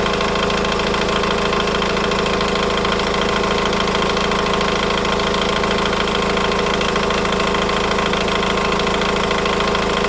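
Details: Idle with a fast metallic timing chain rattle about two per second that persists over 3 minutes after starting, even when revving. Cause: chain stretched and tensioner collapsed.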